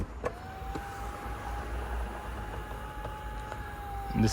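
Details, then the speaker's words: BMW E36 convertible top motors in the trunk after retiming and bending the motor gear plate to cure knocking: steady even electric hum at one pitch for about four seconds, no knocking or binding; normal top motor operation. "the procedure to retime your Motors so that they know exactly well yeah so they know exactly when to close and do all the operation Windows should close"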